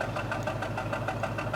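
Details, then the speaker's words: 2004 Jaguar S-Type petrol engine at idle: uneven stumbling pulse around six or seven beats a second with some shaking, a misfire to be fixed by replacing spark plugs and coil packs. "okay I wanted you to hear the misfire a little bit of misfire there shaking a little bit so"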